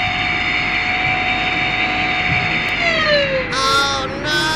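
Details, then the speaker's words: Kolin Primus aircon indoor unit: loud steady whirring hum with a high tonal whine; when switched off the pitch slides down as the fan coasts. The fan motor is worn and noisy and is to be replaced. "Rinig na rinig ang ingay na ng fan motor. Palitan na natin to."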